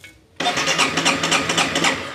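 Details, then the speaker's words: Honda CBR 250 that won't start, compression judged while cranking: the starter churns in even, labouring pulses of about five or six a second, slowed by compression rather than spinning fast and empty; normal cranking compression. "kan ada tenaganya toh ada rasanya ada tekanannya begitu Mas Bro."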